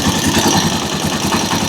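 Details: Rusi Chariot 175 trike single-cylinder engine at idle: steady, even putter with no knocks, rattles or misses; engine sounds normal.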